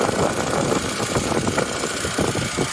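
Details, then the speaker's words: R50 Mini Cooper, salvage category N non-runner just fixed and first started: even steady idle with smooth low hum, no knocks, ticks or rattles; running smoothly, healthy. "thing it's actually running really smoothly isn't it rattles no noises idling"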